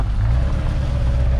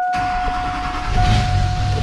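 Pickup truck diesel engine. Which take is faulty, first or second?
second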